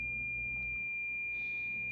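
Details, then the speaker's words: President George FCC CB radio in SWR mode: a steady, unbroken high-pitched tone meaning SWR 1:1, properly matched antenna; high SWR instead gives beeping that speeds up as the match improves. "And what we're listening for is a solid tone. Okay, so at a 1.0 or a 1-to-1, we have a solid tone, anywhere right in there."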